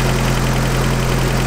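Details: 1986 Toyota 4Runner after idle screw adjustments and throttle body cleaned with brake cleaner: deep steady idle rumble, even beat, no misses or rattles; smooth, healthy idle.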